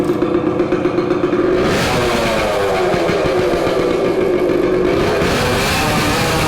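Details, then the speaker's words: 1970 Suzuki TC-90 two-stroke run with exhaust baffle removed for cleaning: crisp ring-ding rising and settling with throttle, louder and raspier than normal; loud unbaffled exhaust, owner checking whether it runs better. "let's actually let's run it right now minus the baffle see if it runs any better okay this is uh run without baffle so let's see what it sounds let's see how it performs"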